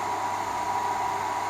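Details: Dyson-style knockoff bladeless fan running with oscillation turned on: soft even rush of air with a faint steady motor hum, no ticking or rubbing as it sweeps; normal running.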